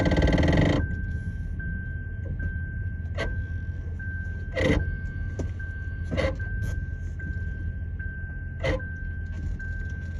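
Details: Lexus RX450H, noise when braking with car on or off, no dash light: thin steady whine under a low hum with sharp clicks and knocks; faulty ABS pump and actuator, both replaced, which fixed it.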